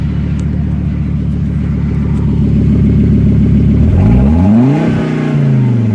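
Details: 1998 Volvo C70 engine, partly warmed up (not a cold start), before catalytic converter removal: fast uneven pulsing at idle, then a rev rising and falling unsteadily; running rough when revved, cause unclear.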